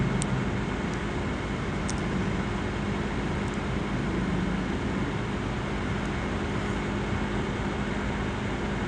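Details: Asus laptop CPU cooling fan: steady loud rushing whoosh with faint constant tone; fan running hard, cause unclear.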